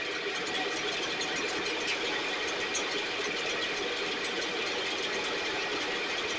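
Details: STIHL backpack blower (believed 6R450), after cleaning and repair; idle previously fluctuated and couldn't be adjusted. Even, high buzzing two-stroke drone at constant speed, no surging or dropouts; running much better but still loading up slightly, internal carbon buildup suspected.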